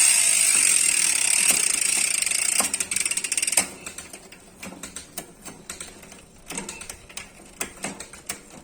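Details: United Clovis 6.0 hardtail MTB with a Nautilus Rakac freehub: a loud, steady, high-pitched buzz while coasting that breaks into separate clicks as the wheel slows. This is the normal freewheel sound.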